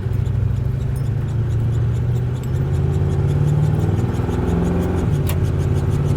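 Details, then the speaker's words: Suburban driving: loud steady low drone over road rumble, worse at higher speed; owner suspects a hanging-up brake caliper, not confirmed; droning noise while driving. "So, can you hear that? Obnoxious. It gets even worse when you go faster, believe it or not."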